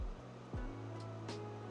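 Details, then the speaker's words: Original Xbox (1.4 GHz CPU console) DVD drive, disc inserted upside down as a test: short rising whir spinning up, steady motor hum, faint seek noises; drive spins and moves but fails to read the disc, not recognized. "um sounds like it wants to read going to put it in upside down I don't really think it's going to work sounds promising sounds like it's moving"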